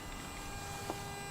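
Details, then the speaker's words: Car with engine off and ignition not in on or start (Lancer Ralliart or other car that tries to start by itself and dies): faint steady high-pitched whine, something electrical drawing power near the source; cause unknown, battery to be disconnected. "I also hear this like I'm not sure you guys can hear the camera but this e sound 's like something is drawing the power not too sure where it's coming from"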